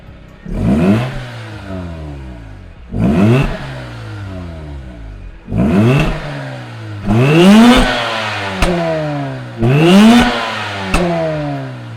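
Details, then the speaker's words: Mazda RX8 rotary, cold start with newly installed Megan Racing exhaust: loud repeated rev blips about every two and a half seconds, each dropping back to a raspy idle; sounds healthy. "We're gonna jack it down and start it up. It's gonna be a cold start, so you'll hear it."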